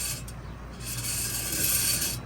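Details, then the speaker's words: Worn front wheel bearing on a 2006 Dodge Dakota SLT 4.7L 4WD, hub turned by hand with rotor removed; rough, gritty scraping grind with faint ratcheting, to be replaced. "and that scraping and grinding. So that is what we're going to be replacing."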